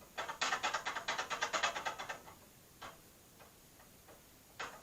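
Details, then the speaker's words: 2005 GMC Envoy with a coolant leak: bursts of rapid, dry clicking as the water pump pulley is rocked, showing shaft play from a failed water pump bearing. "that's because the bearing in the water pump is gone"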